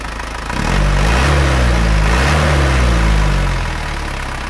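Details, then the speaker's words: Old diesel engine after cooling system overhaul (radiator serviced, hoses and oil cooler repaired, thermostat fitted), nozzles not in great condition: deep even idle chug, slight rise then settling; smooth, not yet fully warm, said to improve as it heats. "ini semakin panas semakin enak ini belum begitu panas Tapi nanti kalau sudah semakin panas ini semakin enak"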